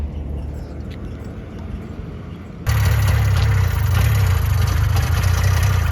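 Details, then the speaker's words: 1970 Subaru Sambar pickup off the road for 40 years, just revived: a quieter putter jumps to a steady, low, even two-cylinder idle while the oil injection is primed; running normally, slightly squeaky, with ignition timing thought to be off. "Cool. She's running nice. Good. She's a little squeaky today. Okay. Yeah, that's usual though."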